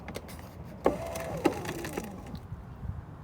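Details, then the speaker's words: 2014 Hyundai Elantra driver-side window after an accident: brief electric whir and clicks from inside the door, glass not moving; motor works, broken cable in the window regulator suspected. "Let me show you the noise. There's a noise. That means motor is working."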